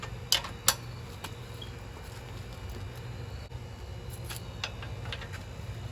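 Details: Kubota L3000DT diesel tractor with a good used replacement engine, serviced: steady low hum holding an even idle, a few light metallic rattles early on; engine settled, normal healthy idle.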